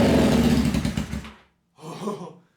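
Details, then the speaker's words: Honda CBR600 engine, after repeated attempts and a backfire: catches with a sharp roar for about a second, seemingly on all cylinders, dies, then one weaker sputter; brief firing then stall. "alright it fired up so it sounded like it was running on all cylinders kind of hard to tell because it was only running for maybe like a second but it started up"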